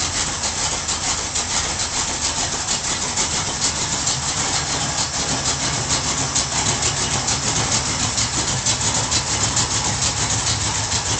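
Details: Ford Torino V8 after full tune-up (carb gone through, gas tank flushed, better ignition fitted): even, steady idle with no misses or knocks; runs smooth and healthy.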